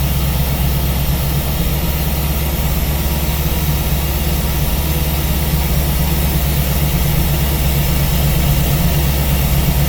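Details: Steady V8 idle on a newly installed Ace's Killshot EFI throttle body with Blackjack distributor, while base timing is set to 15°; deep, even burble with no misses or surging, running smoothly and healthy.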